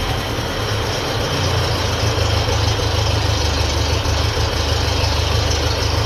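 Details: 1957 Ferguson FE35 TVO tractor, cold start on petrol, charging system test: loud, steady low-pitched chug at fairly even pace, no knocks or misses; charging light stays on, dynamo or regulator suspected. Normal idle.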